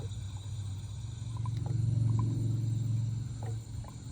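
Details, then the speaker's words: Dodge Challenger during radiator flush and refill, engine just shut off while warm; low bubbling gurgle about three to four times a second as trapped air is pushed out of the coolant system. "so I don't know if you can hear that but you hear the gurgles that's all the air that's being pushed out"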